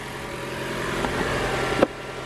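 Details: Toyota RAV4 Prime started in charge mode right after an oil and filter change (0W-16, about 4.5 quarts) while checking for leaks: the engine settles into a smooth, even hum with no knocks or rattles and runs healthy.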